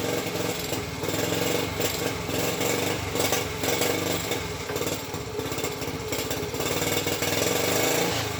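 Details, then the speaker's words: Honda ST50 during rebuild, first run after kickstart with choke: small single buzzes and a ragged, wavering uneven beat; owner plans to source another coil, cause not confirmed. "yeah I'm still not convinced of that car at least he's running that's something so what I need to do now is Source another coil"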